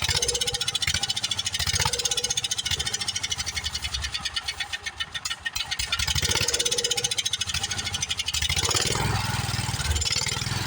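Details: Long-sitting Wheel Horse tractor single-cylinder engine catches and runs with a fast, even putter that swells and settles as the throttle moves.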